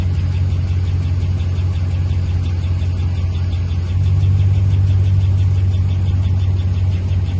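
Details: 5.7 HEMI V8 at idle: steady low idle with a faint, quick light ticking on top, roughly three per second; top-end engine tick, cause unclear.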